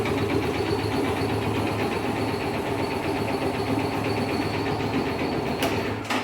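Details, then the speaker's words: 2013 Yamaha Factor 125 single-cylinder motorcycle at idle: steady, fairly fast tapping knock, heavier than normal valve noise; low mileage, engine ran short of oil, piston damage suspected, engine to be opened. "é óbvio, né? Por falta de óleo, deve ter. É bem provável que seja pistão, né?"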